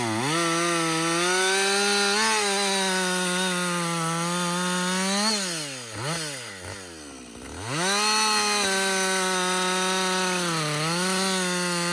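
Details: Husqvarna 562XP two-stroke chainsaw, back from the dealer after being reflashed for dying when hot and failing to start, now hot after long continuous cutting: strong steady high-pitched scream holding revs, brief dip and clean recovery between cuts; normal running under load.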